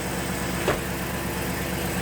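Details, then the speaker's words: Land Rover Discovery 2 that sat 3 years with a bad misfire, now fixed by a cheap part. Even, steady idle with no stumble and all cylinders firing, just one brief tap; smoothest in years, though the throttle still sticks slightly. Normal idle. "I haven't heard it run that smooth in forever."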